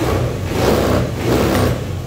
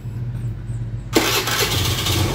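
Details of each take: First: 2014 Honda Beat scooter after replacing a weak fuel pump that caused stumbling and stalling: small engine picks up cleanly on each throttle blip and settles back without stumbling; healthy response, normal revving. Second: Honda Beat scooter with weak used fuel pump (spec 263-361 kPa): starts then runs rough and stumbling at initial throttle, idle won't hold and dies, stumble clears at higher throttle; low fuel pump pressure.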